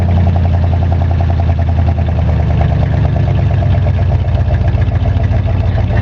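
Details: 1985 Chevrolet Monte Carlo SS V8 cold start, car sat 14 years, burns oil, electric choke broken: regular sharp tapping over low idle rumble; owner suspects rod knock but isn't sure.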